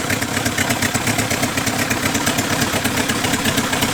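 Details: Small four-cylinder rat-rod engine after head work and new valve springs, idling quickly and evenly with each cylinder's firing pulse standing out crisply, no clatter or missing beats. Normal idle.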